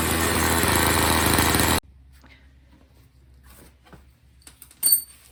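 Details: Old Snapper two-stroke snow blower, after a pre-winter service and a gas line replaced to stop a fuel leak, run with the cover off; buzzes evenly for a couple of seconds with no misses or rattles, then cuts off: normal running.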